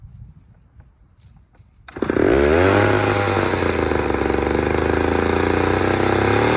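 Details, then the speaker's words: Third chainsaw on leftover old fuel, not refueled, unlike the two lean-running freshly fueled saws: fires, climbs in pitch, then settles into a smooth even run; runs fine, though chain was dulled on a rock. "all right so saw number three is running just fine except for you know i hit a rock with the chain"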